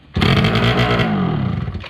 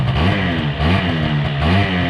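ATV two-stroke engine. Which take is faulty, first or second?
first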